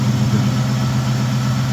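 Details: 1999 Ford Crown Victoria 4.6 2V V8 after serpentine belt removed and two bad pulleys replaced to cure morning squeal: steady, even low idle with smooth hum and no squeal or chirp from belt; engine sounds healthy.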